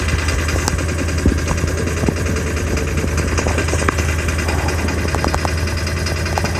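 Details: 2000 Ford F550 7.3 diesel with a hard start, at about 60°F outside, believed to need new injectors. It idles with steady clatter and occasional irregular knocks over a low rumble, slightly uneven: rough idle after a hard start.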